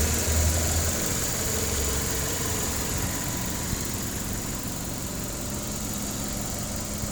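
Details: 1995 Geo Prizm 1.8 L with hard starting and stalling, no check engine light; distributor replaced a year ago, and plugs, wires and throttle position sensor just replaced. Idle starts high, then sags unevenly as if about to stall. Unstable idle.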